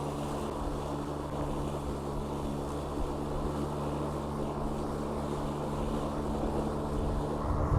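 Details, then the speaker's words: Craftsman/MTD E-150 electric riding mower (1500 Wh lithium-ion battery, about 5–5.5 mph) mowing with blades engaged: steady low motor hum and even blade whir, no knocks or grinding, quiet enough to talk over; normal operation. "the fact that you can hear me over the over the Boeing blades again there's a testament that relatively quiet it is as a more"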